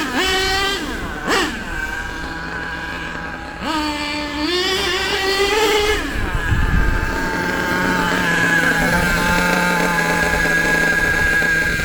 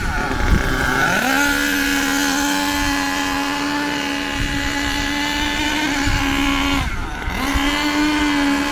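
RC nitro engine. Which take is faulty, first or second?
second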